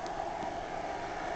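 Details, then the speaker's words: Used 400 W Black & Decker power inverter with some scratches and rusty screws, switched on: steady, even whirring hum of the small cooling fan, constant pitch, no rattle or scrape; working normally. "you can hear it pumping away. It works really well."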